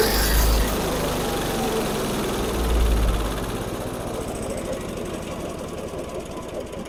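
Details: Barn-find Snapper chipper shredder, 8hp Briggs & Stratton, carburetor sprayed but not disassembled: catches, runs ragged and uneven, then sags and fades, won't stay running on its own; surging and stalling from dirty carburetor, later torn down.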